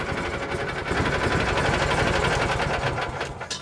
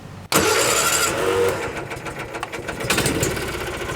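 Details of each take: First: 1986 or 87 Argo Magnum running off an external boat tank: low, steady idle with a quick, even patter and no misses or knocks. The idle is set low so the clutch doesn't engage and gears don't grind; runs well. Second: 1986 or 87 Argo Magnum cold start with choke on, running off its internal tank. Starter churns steadily at about three beats a second but it never fires; fuel isn't reaching the filter or carburettor.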